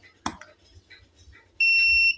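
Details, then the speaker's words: Tronic Alfa studio monoblock flash (Alfa 800; listed as U2 Alfa 1000), after repair of a botched earlier service that left power dropping; tested at largest power with standard reflector: sharp pop, then clean half-second high recharge beep. Fires and recharges properly. "mantap tembakannya mantap panas begitu ya luar biasa nih teman-teman"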